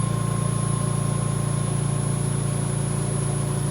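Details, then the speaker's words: VMUS-DG1 ozone generator (double quartz corona cell) at low output: even, low-pitched electrical buzz with a steady hum underneath and no crackle. The pitch is lower at reduced output, and it is normal. "Once again, this will be the lowest pitch that we'll hear buzzing from the VMUS-DG1."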